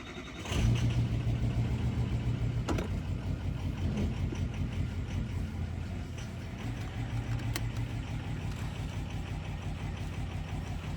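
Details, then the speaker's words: 2003 Ford F250 6.0 Powerstroke diesel after adding Archoil friction modifier, started cold with no warm-up: low, uneven, lumpy idle, still rough; owner suspects injector stiction, truck also weak under full throttle. "i don't know if you can hear it it's definitely still rough"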